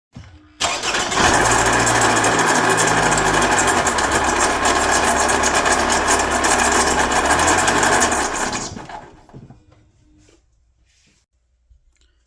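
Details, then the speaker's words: Toyota RAV4 engine starts and idles with a steady whirring whine on top, then shuts off; likely original water pump with loose shaft and failed bearing, to be replaced along with coolant. "as you can see, it's making that noise. So we're going to replace the water pump during the coolant and everything."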